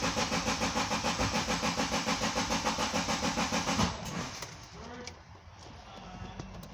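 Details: 2010 Subaru Liberty, intermittent crank-no-start after the engine computer was repaired: steady starter cranking at about three and a half pulses a second, stopping without the engine catching; crank angle sensor signal and wiring then tested.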